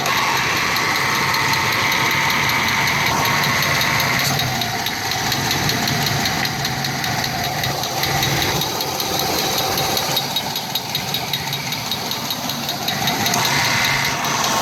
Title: Engine knock